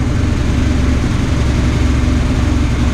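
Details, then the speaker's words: Dodge Ram 1500 with a replacement 4.7 HO V8 that jumped timing, cam bolt not tightened, gauge showing no oil pressure: deep, uneven, lumpy idle with a stumbling beat, getting noisier; a couple of cylinders appear dead. "oh there's a couple dead cylinders starting to sound noisy that just sounds worse just sounding worse"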